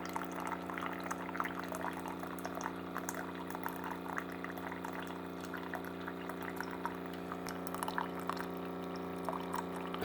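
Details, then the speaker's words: Keurig coffee maker, reported as not shutting off water: steady pump hum with an even stream into the cup and no sputter; nozzle not clogged, reservoir level dropping. Normal pump operation. "there goes I hear a pump running it's coming out albeit I guess that's coming out of a pretty good speed so the nozzles not clogged"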